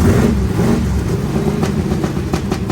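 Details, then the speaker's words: Small block Chevy V8 in race truck, first start attempt after work; loud uneven lumpy rumble, stumbling misfire for under three seconds then cuts out; owner thinks too much gas, plug wires possibly mixed up, cause not confirmed. "Fire in the hole. Hit it. I think it's got too much gas."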